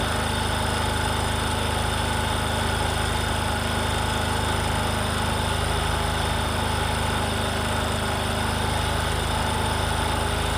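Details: Discover motorcycle, in a clip about mileage and engine-sound problems: steady, even idle with a smooth low putter at a constant rate and no knocks, ticks or rattles; a healthy, normal idle.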